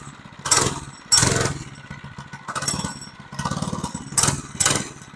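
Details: Monster Moto 80 minibike getting running again, fuelled and on choke: the small single-cylinder engine pops and fires in bursts, blipping up and dropping back, then keeps running. Starts and runs fine.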